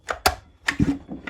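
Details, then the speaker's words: Two-stroke engine, spark plug fitted, no throttle: each cord pull gives a short soft puff from the exhaust, the normal sound of an unblocked exhaust. "Quando você puxa o cordão de uma máquina dois tempos, com uma vela no lugar, sem acelerar, sem nada, simplesmente puxa, você sente que sai um som do escapamento. Isso mesmo. Ele sai um fop, fop pelo escapamento. E é isso aí normal, olha bem."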